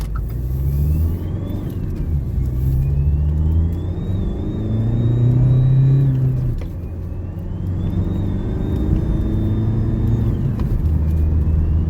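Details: 2012 Renault Grand Scenic 1.6 dCi diesel pulling out of a junction and through the gears. A high wail climbs in pitch with each pull, while the turbo still holds 22 psi of boost. Worn turbocharger shaft bearings, expected to fail soon.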